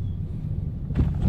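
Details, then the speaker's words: Mitsubishi Xpander over potholes after steering rack assembly fix: low road rumble with a few soft thuds, no sharp double knock as before; steering rack and suspension sound tight. "Okay eh no? Wala na yung kalampag. Grabe, solid."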